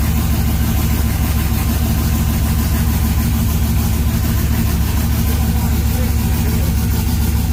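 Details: LS-swapped (4.8/5.3) 1990 or 1995 Chevy OBS truck, first start of the swap: steady, deep V8 idle with an even low rumble and no stumble or skipped beats, firing cleanly on all eight; normal idle.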